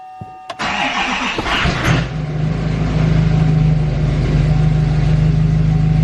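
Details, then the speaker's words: L5P Duramax diesel after installing a new Stealth 67 turbo, cold start: short crank, quick catch, then deeper rumbly idle with low drone and no turbo hiss; owner suspects the turbo actuator isn't working, engine power reduced. "It sounds a lot more rumbly. I'm gonna try to put my high idle setting on in here. It's so cold. Vehicle. I bet the actuator's not working. It has to be that because there's no hiss to it at all."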